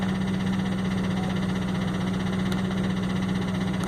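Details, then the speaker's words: 2004 Ford F-150 crew cab 4x4 at idle: uneven loping beat with regular stumble about four times a second over deep drone; scanner shows cylinder 1 negative contribution, misfire. "so it's got an engine mess so I went to the functional test oh snap and if you can tell cylinder number one is a negative negative point five is the highest I've seen in contribution"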